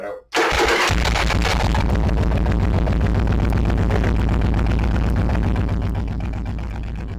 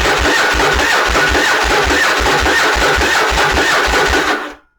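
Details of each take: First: Stock Yamaha Virago with larger, newer battery, cold below-freezing conditions: brisk even cranking catches almost at once and settles into steady idle; healthy start, unlike the smaller-battery bobber. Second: Yamaha Virago bobber with small, aged gel battery, below-freezing start: even starter churning that never catches; cranking drops voltage below 12 V, too low for the TCI to spark, before voltage stabilizer test.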